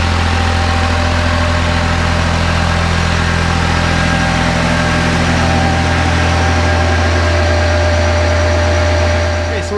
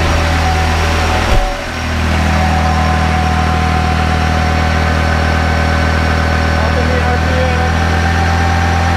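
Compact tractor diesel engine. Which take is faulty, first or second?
second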